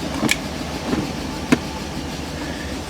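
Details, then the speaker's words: 1998 BMW 740iL first start after new fuel pump, engine said to be no good: low uneven idle with sharp stumbles every half second or so, missing on a cylinder, not charging, ABS light on; cause unconfirmed. "Hey, it started. It sounds terrible. It's not charging."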